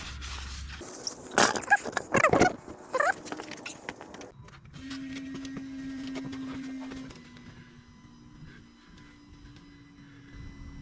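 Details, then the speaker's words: 2023 Jeep Gladiator Rubicon EcoDiesel after fuel filter replacement, key cycled to the run position: after some handling clatter, a steady low electric hum runs for a few seconds, stops, then restarts as the lift pump primes normally. "you can hear it priming all right I'm going to cycle the key one more time"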